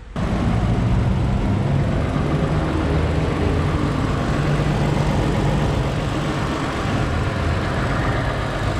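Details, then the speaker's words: 2016 Toyota Sienna salvage-auction minivan, first start after replacing battery dead from six months sitting: engine catches and settles into smooth, even low idle with no knocks, ticks or misses; healthy, no oil leaks. "she sounds good runs and drives good no oil leaks no nothing man this thing is pretty great"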